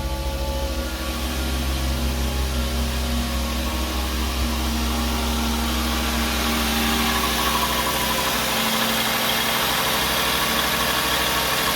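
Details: 2007 VW Jetta 2.5 after fix for P2279 code, rough surging idle and misfires on cylinders 1, 3, 5 with a replacement Dorman part fitted: steady even idle holding pitch, no hunting or surging; normal idle.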